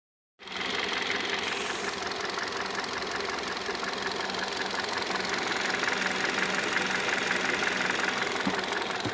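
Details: 2015 Kia Rio engine running with regular light tapping, roughly three per second, over idle; engine knock, cause not pinned down.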